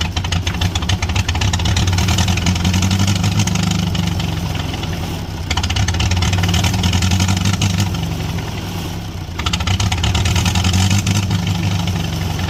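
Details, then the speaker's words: International Harvester B275 diesel tractor, started with glow plugs and ether: roars up hard and stays high without settling; runaway because the injection pump rod was not pulled fully back to shut off. "started frun away all right so as you saw in our last video uh we went ahead got that to turn over and start uh but then it kind of ran away from us"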